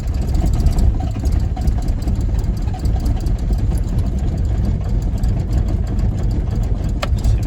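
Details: 1981 Isuzu Pup, 2.2L C223 diesel, sat a week at 50–60°F, cranking after glow plugs while pumping pedal; hard starting since botched timing belt job, pump timing reset, CSD leak found. Low uneven rumble almost catches but never runs. Hard cold start.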